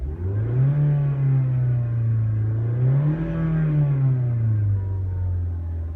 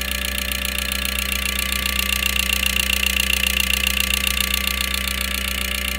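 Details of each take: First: 2012 Mazda CX-5 petrol engine after cleaning clogged, carbon-laden injectors (cylinder 4 misfire, lean plug): revs up and settles smoothly, even tone, no stumble. Misfire fixed. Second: 2012 Mazda CX-5 at idle with regular light ticking pulse and slight stumble; scan tool shows cylinder 4 misfire, lean spark plug, injector 4 heavily carbon-fouled despite new coils and carbon cleaning; fixed by injector work.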